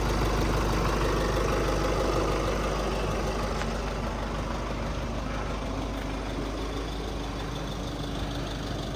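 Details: 2.8L Duramax diesel 2015-2022 GMC Canyon/Chevrolet Colorado after replacing both fuel filters and priming: smooth, steady diesel clatter at even idle with no surging or misses; idling normally.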